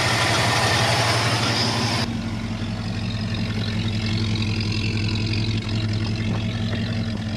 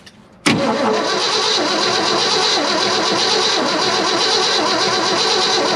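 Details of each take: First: 1972 Ford F-250 V8 after sitting at least 14 years, now running: steady even low burble at idle, no misses or knocks; running much better, though a locked front right brake makes the truck drag. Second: 1972 Ford F-250 after sitting at least 14 years: steady even starter whir on the key after jumping the solenoid, engine turns over but never fires; no fuel yet, gas about to be added to the tank.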